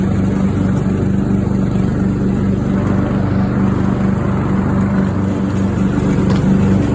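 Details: Craftsman riding mower after new fuel shutoff solenoid, fuel filter, spark plug and fuel treatment (owner suspected water in fuel) to cure a fires-but-won't-run fault: steady low drone at constant speed, no misses or hunting; running normally.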